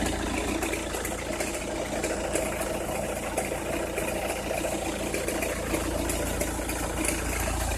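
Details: Opel Meriva, cold engine at idle: irregular light crackle and ticking over the steady engine note, only when cold or at very low revs, stops once warm; noise localised to one side, cause unknown.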